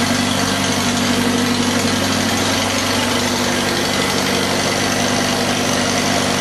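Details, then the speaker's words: 1948 Farmall F Cub tractor idling after a cold start at about 30°F ambient, 12V battery on a 6V system, with a full fuel bowl: steady, even low putter at constant idle, no misses or knocks, starts easily and runs well. "really sounds good. Yeah, I like that full bowl. Boy, doesn't that start good, huh?"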